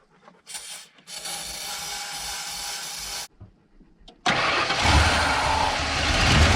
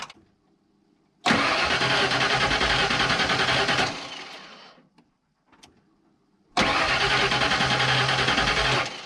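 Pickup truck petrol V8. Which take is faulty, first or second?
first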